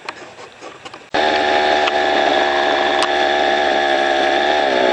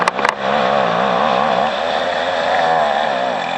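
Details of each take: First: String trimmer fitted with Weed Warrior cutting attachment, clearing brush: snaps up to high steady whine and holds revs evenly while cutting; healthy, normal running under load. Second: Two-stroke string trimmer cutting overgrown grass: buzz wavers at about four surges a second, then sags lower and stays down as grass wrapped around the trimmer head loads the engine. Engine bogging.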